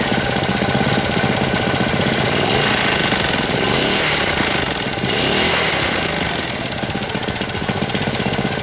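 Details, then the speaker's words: 1998 Briggs & Stratton 60 Intek Edge 6 hp engine after oil change and leak repair, throttle at zero yet running fast: loud harsh rapid uneven clatter about four a second; sounds like it will seize despite oil at level. "Bizard comment il tourne. Bon, je vais le laisser tourner pendant un moment. Bizarre le bruit qu'il fait. On dirait qu'il va serrer."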